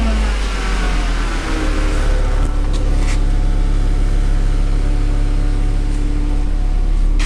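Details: 2009 VW Jetta just after the rusted exhaust was replaced and welded in: smooth, even low idle rumble with no puffing, ticking or rasp from exhaust; normal idle, no leaks heard.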